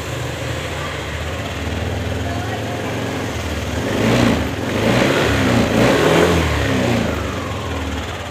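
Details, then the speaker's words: Yamaha NMAX (new) after repairing a starter that went dead and only clicked: burnt wiring at the suspected three-wire ACG connector cut and rejoined tightly. Now starts; steady, smooth idle with a couple of light throttle blips, running normally. "Nah begitu ya bro, ini motor sudah mau nyala bro."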